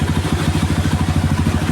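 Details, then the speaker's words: Kawasaki Barako 175 after tune-up, with its old carburetor refitted and tuned: soft, even single-cylinder idle thump, no ticking or clatter; very quiet, healthy engine. "Kawasaki Baraco one. Napakatahimik pa ng makina niyan mga idol."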